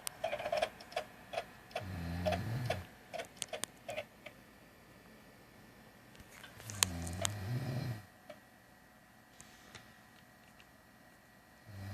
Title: Clicking Sound; Xbox Video Screen